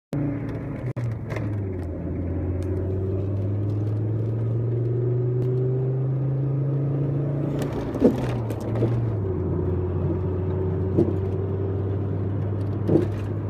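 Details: Volvo 850R: over a steady low engine drone, a few isolated dull clunks land about every two to three seconds; the source is unclear.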